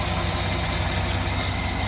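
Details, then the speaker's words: 2007 GMC Yukon Denali 6.2 L92 V8, 220k miles, after a 0W-20 synthetic oil change and Seafoam hot soak through the brake booster line: steady, even idle with a smooth low rumble, no standout knocks; pushrod chatter is much improved. "So, no, I'm pleased with my results for sure. Motor does not sound too bad."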